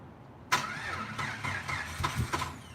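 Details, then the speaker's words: Rebuilt fuel-injected engine cranking before a fuel rail pressure test: uneven cranking bursts with a few weak catches that never turn into a steady run. Crank-no-start; it starts on starting fluid, indicating a suspected fuel problem. "that's a good time guys so that is kind of it's an indication that we have a fuel problem on white wouldn't start last time squirting a little bit of starting fluid in there starts up"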